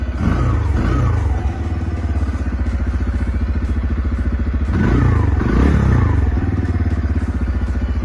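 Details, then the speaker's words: CF Moto Papio XO-1 single-cylinder minibike at idle once warm: light, fast ticking clatter over the beat with a couple of blips; fine when cold, strange metallic noises when hot, cause unknown; engine ticking when hot. "Tapi ketika lu bawa jalan atau misalnya lu lu udah posisi e mesinnya ini sudah mulai panas ini akan terdengar suara-suara yang agak sedikit aneh dan kadang sedikit mengganggu gitu"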